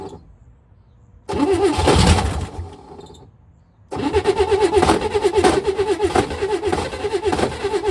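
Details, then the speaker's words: 1962 Chevy Corvair after 40 years sitting, cranked on carb cleaner with no fuel: two cranking attempts with an odd rhythmic clatter and uneven beats, no catch. Strange, unidentified noise while turning over. "Oh gosh. I don't know what that sound is."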